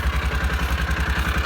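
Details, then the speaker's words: Old, worn Kawasaki Mule engine warming up at idle: even low thump about seven to eight beats a second, no skips or rattles; idles smoothly and healthy. "I'm gonna walk around here and show you guys that it idles very smoothly. Yep, nice and healthy."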